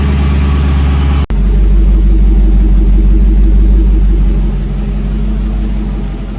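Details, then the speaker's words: 2006-10 Dodge Charger 5.7 HEMI V8 after new water pump, timing cover gasket, tensioner and aluminum radiator: fires straight up, flares briefly, settles into a smooth steady idle with no ticks or knocks; no leaks, normal. "Everything looks good. Everything sounds good."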